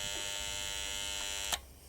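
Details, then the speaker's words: Bell & Howell 652 16mm film projector at first power-up: harsh steady electric buzz cut by a sharp click as smoke comes from the motor; overheating motor. "Uh, right. There's smoke coming from the motor. Oh, no. Uh, yes, please. Right, that was trying to do something and we got smoke from this motor."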